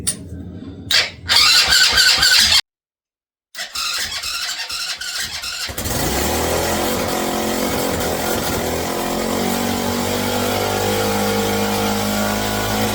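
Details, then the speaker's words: Mini bike small engine, first start after wiring: catches after a few cranks and holds a fast, buzzy, high-pitched run, very smoky, rattling bolts loose; idle too high, needs idle adjustment. "I got to figure out how to adjust the idle on it that's what I got to do but it it started"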